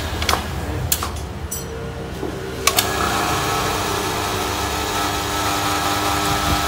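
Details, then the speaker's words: Toyota Corolla Altis alternator on bench after positive and negative diode replacement, energized via 4-pin socket: clicks then steady even electrical hum; charging, needle rises to nearly 15 V. "ini pengetesannya harus dipancing ya di soketnya situ yang empat pin itu harus dipancing langsung dari Strom positifnya anggapannya anu ya Apa itu kunci kontak jadi harus dipancing baru bisa keluar strong suaranya dengung"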